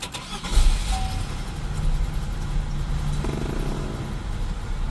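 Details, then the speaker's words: Classic car that only started intermittently, with starter hesitation and the starter itself not yet touched. With a charged jump pack connected to chassis ground and battery positive: quick crank, catches almost immediately, steady even low rumble. Normal start; without the pack it hesitated. "After turning the camera off, it started with no hesitation every time I had the jump pack installed."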